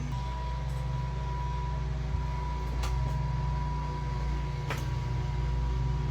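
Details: LS V8-swapped Chevrolet S10 idling with the belt off to confirm an earlier noise comes from the front drive setup: a steady, even idle hum with a faint constant whine and no knocks or rattles.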